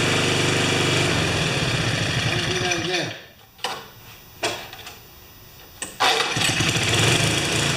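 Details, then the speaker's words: 5HP Sno-Trac snow blower single-cylinder engine after several carburetor swaps and a stripped quarter-inch bolt re-tapped to 5/16, rope-started: holds a steady, even beat with no hunting; no longer surges, runs its best yet. "all right she doesn't surge anymore perfect"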